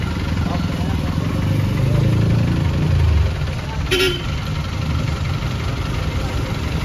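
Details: Isuzu 4BE1 diesel truck after replacing faulty injectors to fix a noisy engine: steady low diesel rumble at idle, even and unhurried, no knocks or rattles; now sounds healthy, normal idle.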